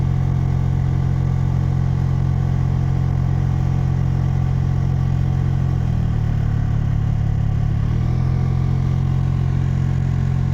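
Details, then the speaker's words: Maruti Swift AC blower motor, mounted low so dust or paper (sometimes carried in by rats or dropped through vents) gets inside: steady drone with an even rattling flutter about four per second while running; fix is removing and cleaning the motor. "So ಅದರಿಂದ ಆ dust, ಆ papers ಏನಾದರೂ ಆ blower ಒಳಗಡೆ ಕುತ್ಕೊಂಡಾಗ ಆ blower ಓಡ್ತಾ ಇರುತ್ತೆ. ಆ ಬ್ಲೋವರ್ ಮೋಟ್ರ್ ಯಾವಾಗ ರನ್ ಆಗುತ್ತೆ ಅವಾಗ ಸೌಂಡ್ ಬರುತ್ತೆ."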